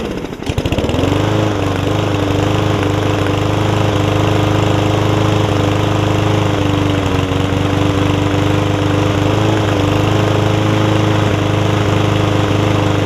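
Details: Yard Man front-wheel-drive self-propelled push mower with Powermore engine, long-sat, carb cleaned except the top jet, fresh gas, oil full but dark: catches and settles into steady, even run with slight speed hunting, no misses; running fine.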